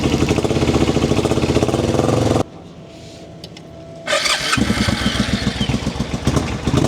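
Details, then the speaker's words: Ugly Suzuki twin motorcycle, first start on a bottle fuel feed with new inlet line, fuel pump not heard running: uneven, lumpy chuffing with a break mid-run; appears to fire on only one cylinder, cause unconfirmed. "And that's going, but that's one cylinder. We'll choke it."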